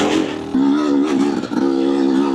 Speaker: there's something to this two-stroke just chime, man. This little whine, even the idle, man. Two strokes are really special.